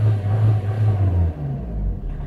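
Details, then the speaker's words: 2005 Vauxhall Astra 1.7 CDTI Z17DTL diesel, no ECU codes: drone rises, then revs wobble and sag unevenly instead of holding, smoky; faulty mass air flow sensor. "that's the problem with the car on the road it does exactly the same thing gets to about 3000 and it starts to judging everywhere all over the place and you can't drive the car really"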